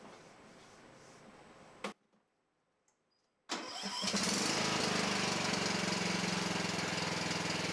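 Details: Cub Cadet XT1 LT42 Intellipower riding mower at its first maintenance, with the spark plug and air filter not yet changed. The starter cranks, the engine catches after a pause, then settles into a strong, steady, even run with no misses; healthy.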